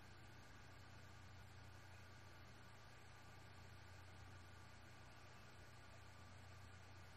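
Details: Seagate BarraCuda 8TB ST8000DM004 (10,325 hours, 2,118 reallocated sectors) after swapping to another maker's SATA adapter board: a very quiet, steady spin hum with a faint even hiss, no clicks or scraping; the drive runs smoothly.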